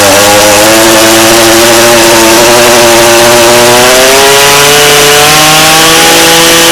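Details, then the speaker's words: Echo PE-225 two-stroke edger, only runs on choke with little power; old fuel just replaced, running on cold start to flush bad fuel: buzzy, raspy drone slowly climbing in pitch; keeps running but rough. "it is on cold start because I was replacing the fuel completely"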